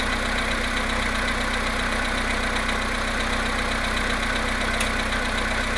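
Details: VW Polo Sedan engine at cold idle, +1.5°C, after standing 19 hours, 17,937 km; rapid, somewhat uneven tapping about three per second over the engine hum, knock cause unclear.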